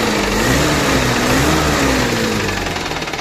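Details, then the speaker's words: Old 1990s UAZ petrol engine with carburetor after repairing the idle device (loose membrane causing flooding): steady, even idle with no shaking and clean revving; owner reports an unexplained engine knock elsewhere. "вот а так вот он ровненько стоит не трясётся вообще никаких проблем с ним нету нормально перегазовка даёт"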